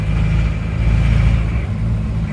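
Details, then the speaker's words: Isuzu Panther Miyabi diesel after an engine overhaul, driven several km: harsh, hard clatter and low rumble at steady speed, with power lacking. Injection pump timing is thought to be over-advanced and will be set back to standard. Thick black smoke was also noted. "ini menurut saya timing bospomnya terlalu maju jadi malah tenaganya malah kurang dapat menurut saya nanti kita akan turunkan timingnya kita standarkan saja ini suaranya juga lebih kasar rangnya itu kurang renyah menurut saya jadi terlalu maju"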